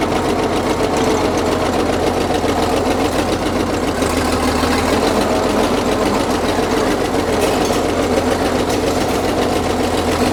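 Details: Caterpillar D6 9U diesel idling with a rapid, uneven knock of three to four beats a second over loud clatter. A leaking injector is suspected; the knock was later traced.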